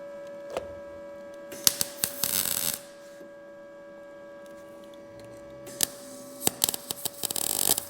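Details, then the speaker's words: Arccaptain MIG200 welder on 18-gauge sheet metal at 15 volts, about 76 amps: short, uneven crackle bursts with gaps instead of a smooth bacon-frying sizzle; welder suspects too little wire speed or too cold a setting. "okay all right that to me sounds like it doesn't have enough wire speed or it just could be too cold"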